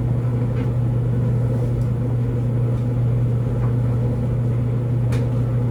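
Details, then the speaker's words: LG DLGX4001 dryer, normal cycle with TurboSteam, average load of regular clothes, back to heating after first steam round; steady low hum and even tumbling rumble, no squeal, thump or scrape; heating and turning normally. "there was the uh first round of Turbo steam there right after the steaming it goes straight back to Heating"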